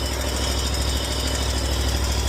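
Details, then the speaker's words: John Deere Z930M zero-turn mower just out of storage, with a new battery and fuel filter fitted: the engine idles smoothly with an even, rapid low thumping and a steady exhaust beat, no stumbles or misses. "So, she starts up. Like I said, put a new battery in it."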